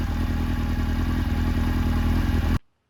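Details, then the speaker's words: 1996 Suzuki GSX-R750 SRAD after swapping troublesome Keihin FCR39s for rebuilt, ultrasonic-cleaned stock carbs with a Dynojet kit: steady, even four-cylinder burble with no stumbles or misses before cutting off; running cleanly. "And as you can see, and as you can hear, it's running super nicely on those carbs, and it runs perfect on the street. No dramas at all."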